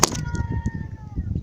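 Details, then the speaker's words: 1999-2000 Suzuki Grand Vitara 2.5L with overheating complaint, belt removed and water pump spun by hand: thin steady whine sagging in pitch as it coasts; free-spinning worn water pump bearing. "of all that's a free spinning water pump that's bad second of all if you can hear it you hear it whining in there"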